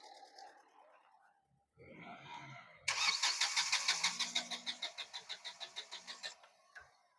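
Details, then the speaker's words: Diesel car cranking during injector return-flow test: starter cranks at an even three beats a second for about three seconds, never fires; injector No. 2 returns excessive fuel, leaking so rail pressure can't build; injector to be repaired. "तो दो number से जितना ए रहा है ना तो इतना नहीं आना चाहिए जो भी प्रेशर नहीं बन रहा था इधर से लिक हो रहा था मतलब रिटर्न जा रहा था इसके करण प्रेशर नहीं बन रहा था"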